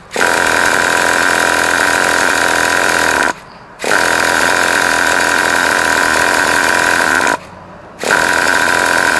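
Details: Traxxas T-Maxx 2.5 classic nitro RC (bought used) on 20% nitro after adjusting the high-speed needle: two long bursts of high-pitched starter whirring split by a pause; the engine spins over but never catches; cranks but won't start.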